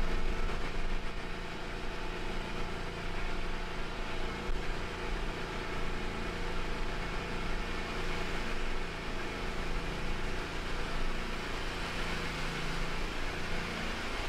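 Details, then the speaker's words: Hustler Raptor SD zero-turn mower after a seat switch fix and battery recharge (it had died when moved and bogged when the mower was engaged); the engine drones steadily and evenly with no bogging, dropouts or stumbles, normal running. "so uh Lessons Learned simple thing like a switch could be the only problem even though it sounds like a mechanical issue yeah okay I got bit a little bit of hubris but that's okay mower is working again"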